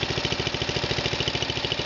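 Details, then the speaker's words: Murray's Power Built 12.5 engine just after its first cold start in four months, choke pulled out slightly in cold weather: a quick, steady single-cylinder putter with even pulses and no misses; a normal cold idle. "I got the choke pulled out just a tiny bit to keep it running. It's pretty cold out, so it's understandable."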